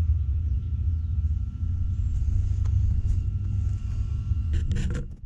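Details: 1969 Chevelle with GM 12-bolt open rear differential: deep droning rumble with a wavering, pulsing low growl as the car rolls, from a bad differential.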